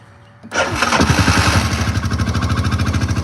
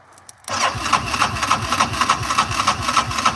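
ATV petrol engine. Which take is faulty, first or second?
second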